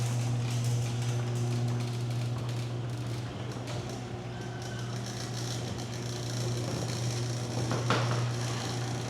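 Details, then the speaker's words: Garage door opener running after lubricating every metal contact point, mic strapped on the emergency release cord: steady low motor hum, light even chain clatter, no squeaks, sticking or binding; much quieter than before the maintenance. "Okay. Well, I'm going to be honest. That was significantly quieter than before we did the maintenance."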